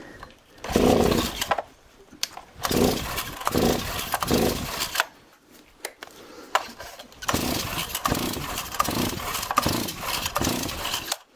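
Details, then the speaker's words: Stihl MS 260 chainsaw after fitting a new spark plug. Repeated cord pulls give short raspy bursts that sputter and die without catching, so the problem is something other than the plug; owner had earlier altered a carburetor adjustment screw. "Et merde, il y a un problème autre que la bougie."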